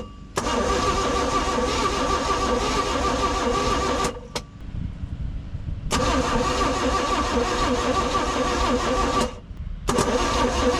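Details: 1991 Four Winns OMC 4.3L boat engine, auction buy with unknown history, rusty coil with a possibly blown-out bottom; the starter churns in long bursts but the engine never catches, so it cranks with no start. Spark is later seen and compression is uncertain.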